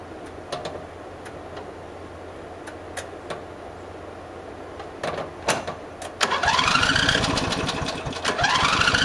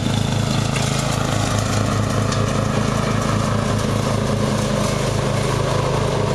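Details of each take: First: Murray riding mower, mouse nest cleaned out: the choke is pushed on and off to simulate a stumble that began after cutting half to three-quarters of the lawn. Clicks, then the engine catches and runs unevenly, revs sagging and recovering in surges. Owner maybe suspects overheating. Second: Murray riding mower, first run of the year after long storage and a mouse nest cleaned out; gas half full and not old, filter unchanged. A steady small-engine putter with a regular low throb and no stumbles or cut-outs; running perfectly.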